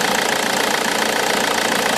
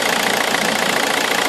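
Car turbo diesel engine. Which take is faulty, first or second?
first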